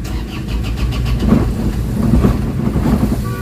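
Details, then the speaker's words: Isuzu Crosswind diesel at early-morning cold start, reported weak pull, throttle delay: uneven, shaky idle with lumpy low thumping and heavy vibration; internal parts suspected too loose, cause unconfirmed; before XADO engine treatment. "Parang nakakatakot nanginginig naramdaman niyo yan guys o so Hindi siya ano hindi normal yung andar ng makina"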